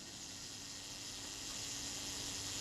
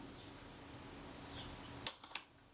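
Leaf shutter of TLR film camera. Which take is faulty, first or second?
second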